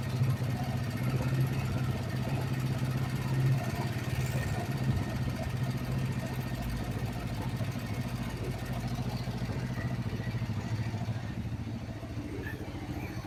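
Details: Kawasaki Vulcan 500 twin during carburettor synchronisation after valve adjustment: steady even low thump at idle, no misses or hunting, both cylinders balanced; normal idle.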